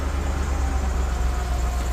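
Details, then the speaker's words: Nissan D40 Navara VK45DE V8 at idle on a Link G4X ECU: raised idle for expected AC compressor load, settling back to a steady low burble once AC is switched off; normal behaviour. "here you go see cuz it's expecting the load from the air compressor and that'll stop it stalling and I turn the air conditioning"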